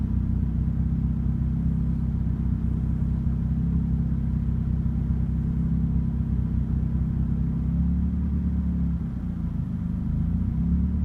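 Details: Turbo Mazda Miata running Megasquirt engine management: rough idle, a deep, lumpy rumble that wavers unevenly instead of holding a steady beat.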